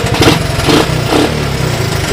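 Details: 1982 Honda ATC185 single-cylinder engine after replacing a carburetor that had an open port causing a vacuum leak: running evenly with light throttle blips, idling nice and slow, no popping, stumbling or smoke; normal smooth revving.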